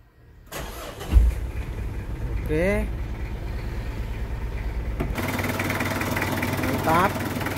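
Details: Car with weak, dropping battery, started about an hour after crushed Bodrex added to the battery water: short crank catches quickly, then settles into steady, even idle with no stumbling; normal start.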